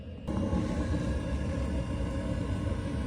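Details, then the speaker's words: Espar Airtronic S2 D2L diesel heater in a 2019 Sprinter van, working after a fuel-line fix at the tank pickup: steady low blower whir over an even burner and exhaust rumble, no surging or sputtering; warm air flowing normally. "you can hear the blower and here the exhaust and we got warm air coming out of here"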